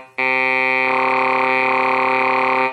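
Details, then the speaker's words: ARP Pro Soloist synthesizer after replacing dead touch sensor strip: held reedy tone about 2.5 seconds with rough wobble through it; growl touch effect now working, normal. "we'll test the touch sensor effects now so pitch Bend is working Wow is working growl"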